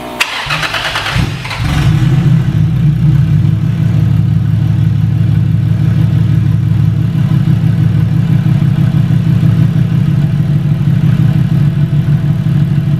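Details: Stock-internal Toyota 1JZ in a Foxbody Mustang after new fuel system install (DW pump, -8 lines, BKR7 plugs): brief crank, quick catch, then even deep idle with steady pulses, no stumbling or ticking; fuel pressure later set to 45 psi; healthy start and idle.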